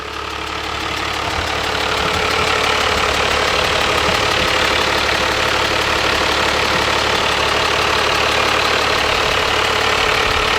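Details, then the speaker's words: 1997 Dodge Ram Cummins 12-valve diesel, manual, with a wrecked front end, idling without coolant at 40 psi oil pressure and 14 V charging: fast, even ticking about four times a second as the out-of-balance cooling fan strikes something. "ah sounds like the fans touching something it's way out of balance it's definitely hit something"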